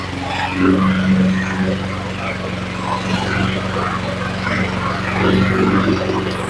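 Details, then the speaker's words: Honda HRT216 Harmony II mower, sat a couple of years, running after carburetor replacement, new air filter and fuel, started on full choke: steady even single-cylinder drone, no misses or knocks; engine sounds good, but needs a drive belt. "Looks like this big boy needs a drive belt. But other than that, she sounds okay. So the motor sounds pretty good, but it does need a drive belt."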